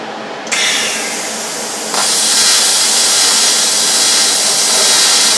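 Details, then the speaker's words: Rossi TC205 AC TIG welder (replacement unit, failed about a year after arrival), base current around 66 amps, gas flowing: arc struggles to strike, then a soft hiss becoming a thin, feeble sizzle that forms no pool and ignores base-current changes. "it's having a lot of difficulty striking an arc and if it does strike an art it's not forming a pool the arc is very feeble"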